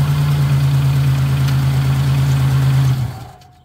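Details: After refilling the transmission with 4 quarts and fitting a new filter, gasket and replacement pan, the car is started: a steady, even low hum with a smooth, unbroken rhythm and no knocks or ticks, then it dies away; normal healthy idle, no leaks.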